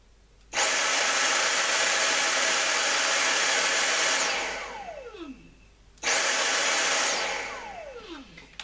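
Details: Dyson cordless vacuum motor run directly from a bench power supply, bypassing the battery. It gives a smooth, steady high-pitched whir, then spins down evenly, twice. The motor is fine; the battery management board is faulty.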